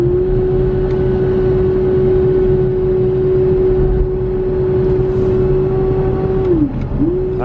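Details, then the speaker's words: Auction car with a transmission fault and loss of acceleration, idling in park after a 16-mile drive: steady high whine over idle that dips and recovers with revs, owner unsure if transmission, belt or pulley; high-pitched whine, cause unconfirmed. "it's a transmission because i'm in park and listen belt pulley like what is it because i mean it runs really good aside from that sound"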